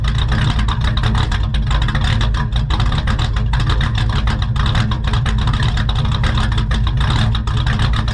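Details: Ford XR with carburetted V-style engine, first test drive after getting it running, idle: deep steady rumble with even firing pulses, no misses or tapping; healthy, though tends to stall under hard braking.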